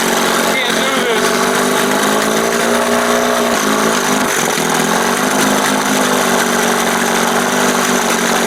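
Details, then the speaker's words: 1971 Johnson 20 hp two-stroke outboard after carb swap: loud, steady high-pitched buzz that never drops to slow idle; high idle because throttle linkage opens before the two cam marks, with play and slop in it. "all of this linkage needs adjusting again damn and it's way up before the two marks so just as I start to roll it right there it starts to open as it gets between the two marks"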